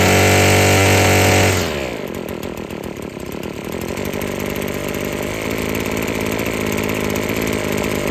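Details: Husqvarna string trimmer after freeing a sticking trigger and adjusting the out-of-tune carburetor (it kept cutting off): a loud burst drops into a smooth, high, steady two-stroke buzz with the string whistling, running clean and strong at high rpm.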